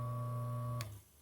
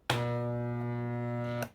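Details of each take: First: Maytec fan motor after repair, run on first speed: the shaft previously would not turn and made noise; now a clean, steady, bright motor hum, then a click and quick fade as it stops; shaft spins freely with no rubbing. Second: Maytec fan motor powered on with shaft not turning, loud steady electrical buzz-hum in two bursts, no whir; seized shaft, likely from worn front or rear bushings.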